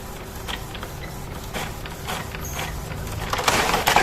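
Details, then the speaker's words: Printer that did not eject paper fully, after servicing the paper-exit roller rail; carriage and roller whirring and clacking build to full feed-out, printing and ejecting normally. "Nah, kita lihat printer sekarang sudah bisa melepaskan ya kertasnya ini."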